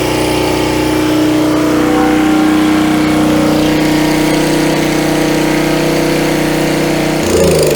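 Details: Coleman Powermate 3750 6 hp generator, stored for years on non-ethanol fuel and restarted. A steady, even drone at constant pitch with no surging or misses; it runs healthy at speed.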